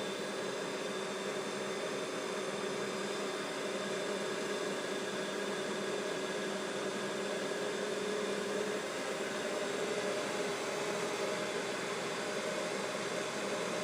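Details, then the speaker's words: Mikini 1610L mill's 2 hp AC inverter-duty motor on Hitachi VFD near full speed: steady rush of air with faint hum, no knocks or rubbing; just the motor's top-mounted cooling fan. "so all that noise is just the fan on the top of the top of the AC"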